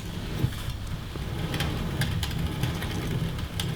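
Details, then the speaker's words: Campagnolo Chorus crankset on a Parlee Z5 frame with new oversized bottom bracket, no wave washer fitted: hand-spun crank gives gritty rumble with irregular clicks from rough, sandy worn bearings. "oof they are rough bearings but that will work just a close-up of those bearings you can hear the sand in them"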